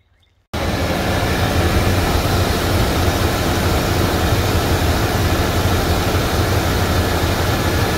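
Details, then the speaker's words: 1995 Chevrolet Suburban after throttle body gasket replacement, not yet fully warm; before, idle hunted way up and down: now settles into a steady, even idle with no rising and falling of revs; normal idle. "that sounds so much better i'ma let the engine get up to operating temperature and we'll see uh if the rpms drop like it's supposed to"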